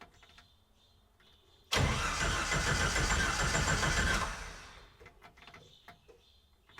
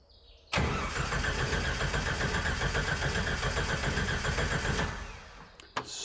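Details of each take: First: Red Willys Wagon on Jeep YJ drivetrain and fuel system, after fuel pump replacement: after a quiet pause the engine catches right away and settles into a steady run; clean, healthy start. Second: Jeep YJ-based Willys Wagon that stopped running: strong, even cranking that never catches, relay clicks but no fuel pump buzz; failed fuel pump, replaced.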